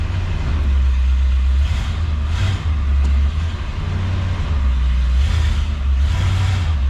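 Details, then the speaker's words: 1966 Ford Galaxie 500 convertible V8, cold start with choke, fast idle set to 1250 rpm: pedal pressed once to the floor, a couple of quick blips snap back down cleanly without stumble or hesitation; responds fine. "the engine is cold let's uh see how it starts once to the floor and back up all right i'm happy with that"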